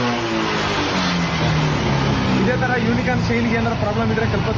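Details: Honda Unicorn 150 single-cylinder after fitting new Spaco carburettor in place of old diaphragm carburettor: clean pickup on each throttle blip, pitch rising and falling evenly without stumbles or misses; carburetion and misfire fixed.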